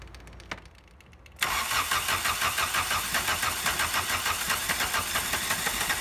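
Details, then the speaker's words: Abandoned 1985 Volkswagen 1.6L diesel first start after purging injection system, energizing fuel shutoff valve and 15 s glow plug heat: silence, then it catches at once into even four-cylinder diesel clatter; healthy start, glow plugs likely all working. "actually I was expecting more drama but this is nice it sounds like the engine's hitting on all four right away so chances are all the glow plugs worked"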